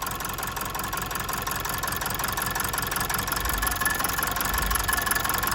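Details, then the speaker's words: Mazda 6 2.2 Skyactiv diesel, check engine light, no fault codes: idle with an uneven, stumbling beat that keeps faltering, a definite misfire; stethoscope shows number 2 injector quieter, cause not confirmed. "Just not as noisy on number 2. But anyway, we have a misfire there, for definite."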